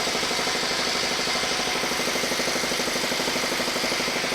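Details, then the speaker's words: Shop air compressor in the background, worn out: steady pumping thump about three times a second under a hissy rattle, running continuously without shutting off. It now takes about 10 minutes to refill instead of 3–4. "hear the air compressor running in the background. The thing won't shut off. It actually, it's wore out."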